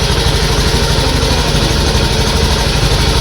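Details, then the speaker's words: Honda Beat ESP injected scooter, fully reassembled after replacing fuel pump: even steady idle, no stumble or misfire, declared fixed; normal idle after repair. "Oke teman-teman jadi untuk permasalahan ini sudah selesai motor hidup"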